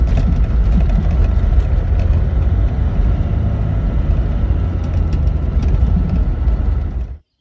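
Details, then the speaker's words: Toyota Land Cruiser HJ61 driving after greasing the speedometer cable spring with dielectric grease: steady engine and road rumble, former dash ticking gone, only a slight pulse remains; fix may not last long. "kept squirting it up in there and as you saw at the start i mean it's got a little bit of a pulse but all good"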